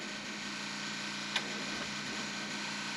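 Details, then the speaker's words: Combine with 4,288 hours, key turned on in winter before starting: a faint, steady, even whir with a low hum and no knocks; the electric fuel pump priming normally. "All right, here we go. We're going to turn on power. I can hear the fuel pump."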